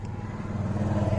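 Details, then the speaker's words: Kia Cerato 4 steering after fully tightening a loose bolt under the column trim, engine idling: wheel turns quietly with no squeak. The earlier squeak came from metal rubbing against metal; the bolt's thread looks stripped (not the steering column). "скрипа ничего нету то есть там немножко металл отошел от металла и трение прекратилась в резьбе болта"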